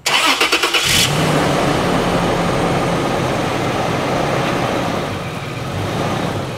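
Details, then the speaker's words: 2006 Toyota 4Runner running after drive/reverse shifts: a steady low howl from the automatic transmission pump, which is seriously low on fluid even after quarts were added. "I am seriously concerned now cuz I hear the transmission pump howling I usually mean kind of like a power serum pump that is low"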